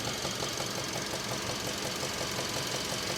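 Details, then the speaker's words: 2016 Kia Optima GDI, 78,000 miles, code P1326, oil-burning, mic close to the lower left of the engine near the pulleys. A steady knock that quietens on acceleration and gets louder off throttle; the cause is unconfirmed. "this noise gets quieter upon acceleration, but then when I take the foot off the accelerator, the knocking returns and gets louder."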